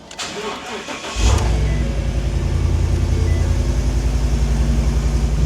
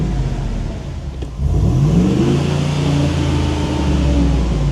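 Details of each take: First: 2015 Ford F250 bought at salvage auction as a hurricane flood car, with no water in the oil, started on a new key programmed with Forscan: brief crank, then it catches and settles into a steady even idle; clean healthy start. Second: 2015 Ford F250 salvage supposed flood car after first drive: engine revs slowly and unevenly from low idle, flat and sluggish; poor throttle response and low power, owner suspects smoked cats, not confirmed.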